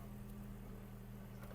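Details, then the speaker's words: 2008 VW Golf 5 1.6 MPI petrol, 187,000 km, engine check: quiet, steady idle hum with an even beat and no knocks or ticks; the engine runs quietly and evenly, healthy. "перевірка далі стану роботи двигуна перевірка стану роботи двигуна автомобіль звівся співтиху працює тихо"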